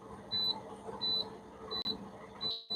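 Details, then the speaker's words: Semi truck in-cab pre-trip inspection, air tanks building toward ~140 psi cutoff: steady high beep repeating about every 0.7 s over quiet idle; low-air warning light and buzzer active below about 55–60 psi. "then that light and the beep will cut on around somewhere 55."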